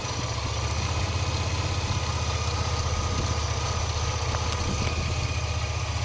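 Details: 2002 Chevy S10 Blazer engine bay: thin steady high whine over even pulsing idle, also noticed when accelerating; source unknown.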